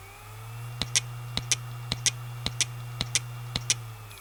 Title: Dying Western Digital WD WMAM9K308462 80GB Hard Drive Sounds. Trying To Spin Up